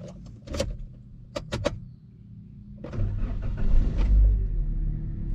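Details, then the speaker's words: Car started right after four-hour engine bay cleaning with Meguiar's Super Degreaser, Hyper Dressing and sprayer rinse: a few clicks and clunks, then catches at once and settles into steady smooth rumble; normal start. "Ini setelah kita bersihkan, ini yang paling krusial. Kita nyalakan mesinnya. Mudah-mudahan nyala. Bismillah."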